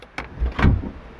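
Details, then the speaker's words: Chrysler PT Cruiser rear hatch latch that would not open (code B186D), new latch handle/switch plugged in and switch activated from inside; two quick mechanical clunks as the latch opens and closes; normal actuation, confirming the old part was the problem. "is it people see when I push to or when I activate the switch from inside that you can hear the latch opening and closing so we have confirmed this is our problem"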